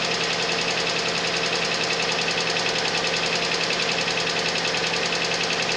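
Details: Suzuki Vitara engine at cold idle with a sharp, regular metallic tapping about two and a half per second; cold-start knock, cause still unknown.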